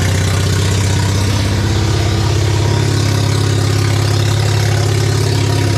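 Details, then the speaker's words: Mazda RX-7 barn-find 12A rotary started after years sitting, with an electric fuel pump; owner suspects faulty needle and seats flooding the carb: steady low drone with a slightly uneven pulse about three beats a second; rough running after long storage. "I think I've got a problem with the needles and seats not working so the carb is just when I put the electric fuel pump on the carb he's just flooded in"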